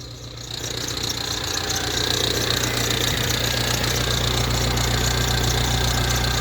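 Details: Ford Transit Connect diesel, hot at idle, just jump-started; fast, fairly regular tapping about three to four per second over the clatter; engine tapping knock, cause not confirmed.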